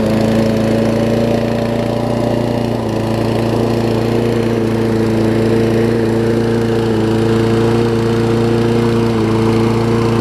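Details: Toro self-propelled mower with Kohler engine, restored to spark by cleaning the plug with carb cleaner; smokes a little at times; steady, even drone with constant pitch and no misses or knocks: normal running.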